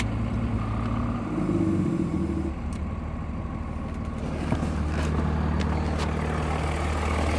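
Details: 2003 Cummins, 176k miles, stock injectors, Smarty Touch on level 5, warm engine on a 60+°F day; stuck at high idle with a fast, uneven lope, can be idled down with the exhaust brake; owner suspects a bad injector.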